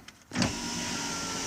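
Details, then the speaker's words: 2003 Chevy S10 crew cab passenger power window after freeing regulator arms jammed by a displaced outer weather seal: smooth, even motor whir for over a second without catching or grinding; window working normally after repair. "okay so it's all back together now and and it works great"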